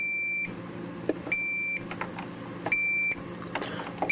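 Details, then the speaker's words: Multimeter check across three or four overlapping foil shielding strips with folded corners in a Farfisa O.R. 200 amp: short beeps in a slow, uneven rhythm show strong continuity all the way across. Good continuity. "there's continuity all the way across not between here yet because I'm still connecting there but it's a good strong continuity signal all the way through"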